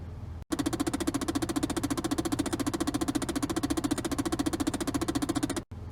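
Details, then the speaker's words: 2010 Chevrolet Impala LT: rapid steady clicking, about three to four per second, from behind the glove box while driving; worn gears in the HVAC blend door actuator, replaced. "so i recently had an issue with the impala where when i was driving it was making a clicking noise coming from behind the glove box and this is a common failure"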